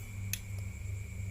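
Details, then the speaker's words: Two-door refrigerator defrost timer type 13 turned slowly right: two crisp clicks over a low hum. The first, smaller click is measured at pin 1; a normal detent. "memutarnya. Nah, itu suara klik yang pertama, bosku."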